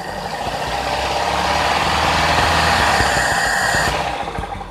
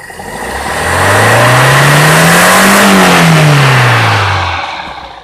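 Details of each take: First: Toyota Kijang Grand with a 5K 1500 cc carburetor engine during carb setting. From low to high rpm the revs dip before rising, a fuel-delivery lag; the carb's unwired solenoid rules out 90/100 jets. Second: Toyota Kijang Grand, 5K 1500 cc carbureted engine with original 100/100 jets, after carburetor setting: revs climb cleanly from idle to high and fall back with no stumble or hesitation; the earlier fuel-delivery lag on acceleration is gone.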